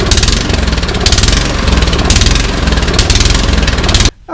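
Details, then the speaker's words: Troy-Bilt Storm 2410 snowblower in for service a second time, started with choke, throttle and prime: rough single-cylinder note swelling and sagging about once a second, hunting and surging; carburetor/fuel system suspected. "it came in yesterday and it is running rough it's hunting it's surging i'm guessing fuel system carburetor"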